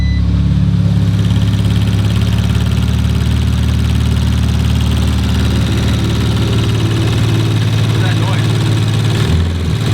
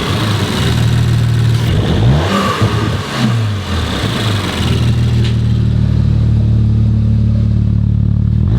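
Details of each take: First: Rebuilt 2019 Audi RS5, first full warm-up after repair, no longer smoking: loud steady idle with a light fast ticking on top; evaporative canister not yet installed; source not pinned down. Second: Rebuilt 2019 Audi RS5 warmed up, no muffler, no longer smoking: smooth idle, then two or three clean blips rising and falling evenly, settling to steady idle; normal revving when warm.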